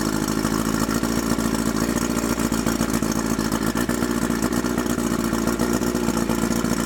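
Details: Mercury 50 hp Classic 500 four-cylinder two-stroke outboard, carburetors cleaned, electric starter, choke and key switch added, recoil start repaired, running on water; busy even buzz with steady firing, no misses or knocks: normal running.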